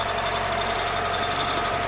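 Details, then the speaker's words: Ford 2.0 OHC engine (Ford Transit/Scorpio/Sierra type) running with a rapid, hard, metallic top-end tapping near the camshaft sprocket; valves already adjusted and ruled out. Cause unknown. "стук откуда-то в районе звёздочки распредвала как будто бы щит клапан но это не клапан"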